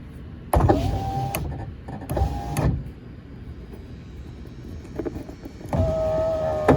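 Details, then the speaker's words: 2004 Ford F150 FX4 driver's window, previously not working, cycled while the connector is wiggled: several short motor whirs start and stop cleanly with no stalling. It now operates normally; the owner hears popping inside and suspects an intermittent connector fault. "All right, we're going all the way down. All right, now y'all gonna think I'm making things up here. that window I know wasn't working before. That was my driver's side."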